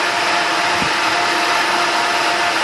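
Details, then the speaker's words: Prochem Everest cleaning machine blower after belt work: loud, steady rush of air with a constant high fan hum, high CFM, no rattle or surging; normal blower operation. "you can hear it's pretty loud the cfm is pretty high on this fan"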